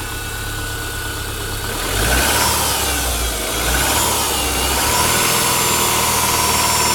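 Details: Engine at cold idle with a light, fairly regular knock riding over it at about four per second; owner suspects piston slap.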